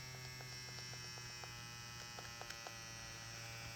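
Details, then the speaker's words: Ambition Ninja Pro tattoo pen with the cartridge fitted: steady, even low buzz with smooth constant pitch and only a few light ticks; the motor runs normally. "As i said with cartridge it works good The sound is OK"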